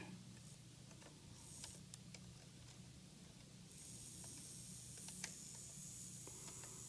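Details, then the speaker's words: Walthers GP38-2 Santa Fe model locomotive, bare motor running on the bench with the shell off, tested forward and backward to chase a reverse noise: a faint steady hum with a few light clicks and no grinding. It is very quiet, and any noise is suspected in the trucks. "So it's very, very quiet both directions."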